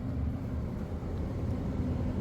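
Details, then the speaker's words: Furnace blower after replacing a blower wheel that was falling apart: only a soft, even low rumble of moving air, no rubbing, rattle or wobble; quieter than before, running smooth. "It's not as loud as last time, but it's definitely on. It's definitely running. You know, you no longer have the noise coming from this thing as it's falling apart."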